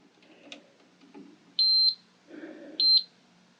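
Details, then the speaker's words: Multimeter continuity check on an old Delta thickness planer that won't start: two clean, steady, high-pitched beeps about a second apart in a quiet room. The meter's continuity tone is working. The power switch is later found bad, with sawdust in its contacts. "first thing i'm going to do is check make sure i got continuity just to make sure this thing's actually working"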